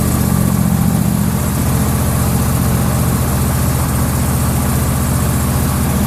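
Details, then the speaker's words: John Deere LA150 lawn tractor twin-cylinder engine, still a little cold: low thumping idle with a slightly uneven beat, about two and a half pulses a second; a mild misfire the owner attributes to coldness. "sounds like it's not running quite right but it I mean it is a little cold even these twin cylinder Motors seem to have a little bit of a mistone"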